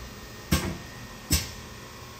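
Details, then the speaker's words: Rattler seat and guide machine: pilot through the intake valve guide centers the floating cylinder head, then the pneumatic lock clicks in; three short sharp air hisses about a second apart as the head lock releases and clamps normally. "So this whole head here floats and indicates in, and then when it's all in and centered up and in the hole, it goes click click and it locks in. That's why you hear this little air."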